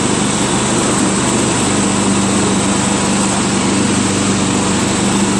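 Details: Craftsman LT1000 lawn tractor with spindles greased and blades sharpened, first deck test: steady even engine drone, blades spinning smoothly at constant pitch, no knocks or squeals; deck runs healthy.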